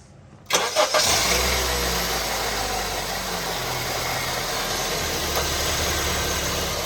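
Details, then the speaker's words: 2012 Honda Civic, started after a Liqui Moly engine flush and a Valvoline 5W-20 oil change with Lucas oil treatment: starter catches quickly, then an even, steady idle with no knocks or ticks; sounds smooth. "Sounds nice and smooth."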